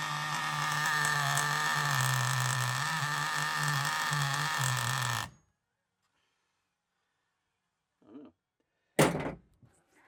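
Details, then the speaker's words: Used FTX Carnage nitro RC car, run after failing mid-demo: high raspy buzz wavering unevenly for five seconds, from a large exhaust leak at the top of the manifold; finger over exhaust changed nothing; exhaust to be removed and resealed. "So we've got quite a large exhaust leak at the top of that manifold there. So that's that problem. That's the reason why that's doing that."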